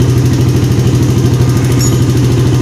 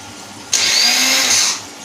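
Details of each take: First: 2010 Yamaha Jupiter Z Robot after starter motor repair and refit: steady, even low thumping idle for several seconds before shutoff; engine runs normally once electric-started. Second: 2010 Yamaha Jupiter Z Robot, new battery at 13.0 V, ignition on: high free-spinning whir for about a second then winding down, no engine catch; electric starter motor spins but does not engage.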